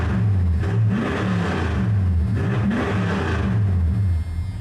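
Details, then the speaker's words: Truck on progressive-throttle software tuning, idling about 840 rpm cold and about 775–800 rpm warm: quick throttle blips, revs climbing and dropping cleanly with no stumble or hesitation. Crisp, healthy V8 response. "I don't know if y'all can hear that thing. She's that good, man. I'm not going to lie. That thing just gets her done."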